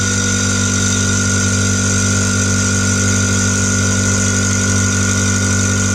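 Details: New SGS 50-litre air compressor, first run after unboxing, building pressure to auto-stop: steady loud pump drone about 220 strokes a minute, even hum, no knocking or rattle; normal running.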